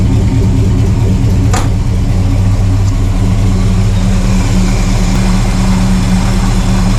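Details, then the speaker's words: 1968 Pontiac LeMans, after a winter-sitting cold start and running to warm up, which earlier died without throttle: now idling on its own with a steady, even low hum and no misses, knocks or hunting. Normal idle. "All right, she is finally idling on her own. Oh, that sounds good."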